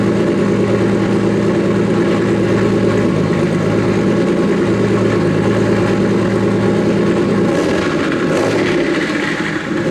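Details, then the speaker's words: Nissan S15 after fixing its problem: smooth even idle picking up cleanly on throttle blips with no hesitation or misfire; owner hears a couple of exhaust leaks under the car; earlier heavy smoke now mostly gone. "well yeah guys there she is fires right up no hesitation turns on like OEM"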